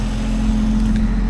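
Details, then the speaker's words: 1961 Rover P4 after replacing old Bakelite acorn plug caps with P6 rubber boots: even low engine drone at steady pitch, no stumbles or popping; normal running, smooth exhaust note. "I can already hear from the exhaust note that's smooth can't deny that sounds so much nicer"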